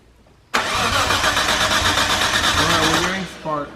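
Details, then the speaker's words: Nissan Skyline R33 with RB26, first start attempt: steady fast cranking about three seconds, never fires; fuel present but no spark, then a coil pack burst and smoked, igniter mismatch (RB25 vs R32) suspected. "Um we're getting um fuel. Yeah, but just no spark."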